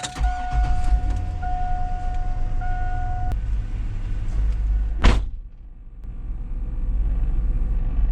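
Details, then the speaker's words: 2002 Cadillac Escalade, buzzing from the dash at the A-pillar on turn-on, over low engine rumble: steady mid-pitched buzz from the failing cabin air temperature sensor, before replacement. "when you turn on you get a buzzing sound from up here so we're replacing this uh air cabin sensor"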